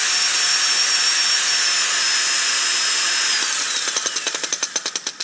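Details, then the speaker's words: DeWalt DCD776 18V cordless drill with 2 Ah lithium battery, jammed trigger and selector: steady high whine with no trigger pulled, then falling pitch and slowing ticks as it spins down; runs nonstop until the battery is removed. "it that doesn't sound very good does he so um it works or it appears to work just um doesn't stop working"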